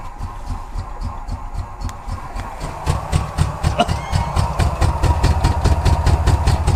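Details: Abandoned 1993 Ford F150 first running after 14 years, some RPM brought in: low, lumpy throb with uneven pulses and misses that slowly smooths out. Rough running; owner says definitely some dead injectors, and the check engine light came on.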